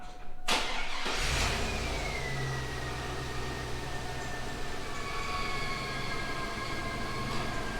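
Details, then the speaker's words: GMC Yukon LS engine after fitting a used A/C tensioner pulley: starts and runs with a chirpy, bird-like squeal sliding in pitch with revs, tensioner pulley not spinning freely; somewhat cleaner after running. "well sounds like there's a bunch of either superchargers or little birds in there"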